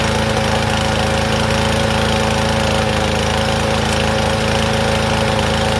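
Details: Troy-Bilt TB110 push mower, about 10 years old: loud single-cylinder chug, uneven beat about three a second, choked-sounding; rich running from a dislodged carburetor part hitting the main jet.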